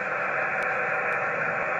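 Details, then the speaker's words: HF radio at home station, antenna on back of garage, 17 m band: constant unbroken hiss at S8 to S9 with no signals breaking through; high noise floor from local interference, source unknown. "there you go S8 of nothing S9 S8 that has played me ever since I've got my license I got my ticket"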